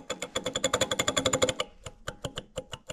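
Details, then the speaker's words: Gas Gas EC250 two-stroke, engine stopped and opened up, crank rocked by hand: a quick run of sharp metallic clicks, then slower ones. The previously replaced crank/rod has excessive side-to-side and up-down big-end play, so a full rebuild is planned. "Czyli korba niby zmieniona kiedyś, ale chodzi na boki jak... Nie wiem co. I dodatkowo góra-dół też czuję."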